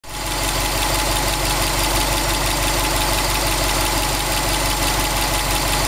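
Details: 2002 Subaru WRX STi, 800 km after a short block replacement: a fast, rough knock about three times per second over a warm idle. Oil temperature 85°C, oil pressure 1.8 bar, ambient 21°C; cause unclear.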